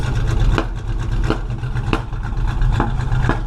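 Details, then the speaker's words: V8 running rich, lumpy idle broken by sharp irregular pops every half to one second as it backfires through the tailpipes, blowing smoke and a strong smell before the fix; rich running with backfiring. "Sounds like somebody shot you. Look at this. Maybe step back. There's smoke."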